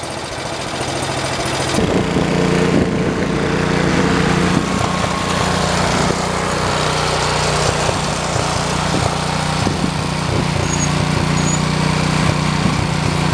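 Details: 1973 112 tractor after new points, coil, condenser and points readjustment: catches and settles into an even low chugging run, steady pitch, no misfires; single-cylinder sounds healthy, normal running.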